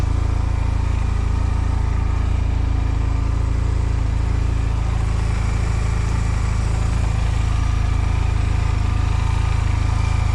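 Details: 2005 Honda Silver Wing scooter, first start after sitting neglected (moss-covered), oil and coolant checked; oil and ABS lights on at start; steady, even low thrum at idle with no misses, knocks or rattles. Normal idle.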